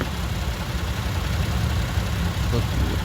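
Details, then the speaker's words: 2017 Toyota Sienna AWD at idle after startup during pre-purchase inspection: steady low rumble resonating with faint light ticking like fluttering cards, normal direct injection tick. "The ticking sound kind of like fluttering cards. That's your direct injection. That's normal."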